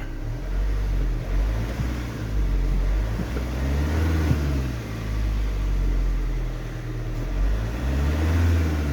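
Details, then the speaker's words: Diesel van with a glow plug light issue, coolant temperature switch unplugged and reading minus 40: holds a low steady drone and barely rises when the throttle opens, then sags; no acceleration when revved. "oh dear that has literally no acceleration whatsoever oh my goodness okay yeah the revs have dropped right down"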